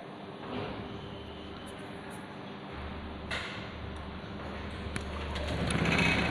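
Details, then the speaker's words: Honda PCX 2020/2021 scooter, low mileage, after removing a small pebble lodged near the magneto that made it rev by itself: low, steady putter settling to an even idle without surging; normal idle. "Dan alhamdulillah teman-teman, motornya sekarang normal ya."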